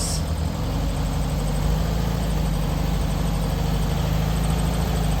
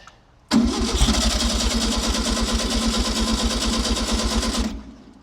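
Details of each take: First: 1964 VW Beetle on its first drive in 20 years, after a new clutch arm spring: a low, even flat-four thrum carries steadily while driving, with no knocks or clatter; the engine sounds healthy. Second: 1964 VW Beetle sunroof, unstarted nearly 20 years, on temporary 12 V with coil cable-tied: steady starter churning with even compression pulses, never catches; cranks without firing, filthy carburetor suspected.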